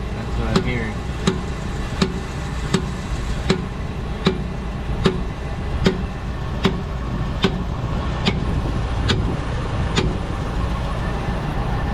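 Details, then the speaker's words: 2012 Dodge Durango Citadel on jack, in drive under torque load: sharp pops about every 0.75 s over engine rumble from the rear axle; worn dry rear inner CV joint, later greased. "And under a specific torque load is when you're gonna hear it."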